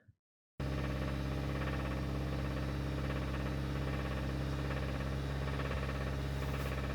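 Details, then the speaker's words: 2015 Kia Sorento 2.4, about 110,000–113,000 miles, slight rev: steady deep lower-end rod knock, unchanged with temperature; P1326 knock sensor code, owner reported misfire, check engine light, no more than 20 mph. Rod bearing failure, engine replacement recommended. "looking at 2015 kia soreno 2.4 got that good lower end rod knock"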